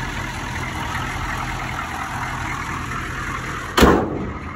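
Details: 1986 Chevy K5 Blazer M1009 with rebuilt starter, new alternator, batteries and fuel filter, idling after start with a little throttle: a steady, even low rumble with no misses or knocks, then a single thump at the end; it purrs smoothly, a normal idle.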